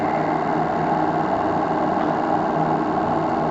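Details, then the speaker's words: Live RC steam launch Topaz, Anton T200 steam engine with new regulator and matched burner, at full throttle: steady even hiss and chuff over burner roar, no knocks or misses; heating keeps working pressure at 2 bar, plant remarkably balanced. "La chauffe est suffisamment puissante pour me garder la pression de service à 2 bars. Donc cette machine, cet ensemble vapeur est remarquablement équilibré."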